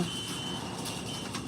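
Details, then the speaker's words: Gate operator closing the gate with its 3-second start delay turned off: steady high-pitched warning tone over a low motor drone as the gate travels; operator and unpluggable motion beeper working normally. "We're going to hear the annoying beep. And the nice thing is, if you don't want to hear the annoying beep, you just unplug this."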